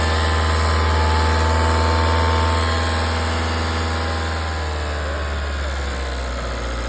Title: 2.0 tdi CR ticking noise #enginefailure #tdi #audi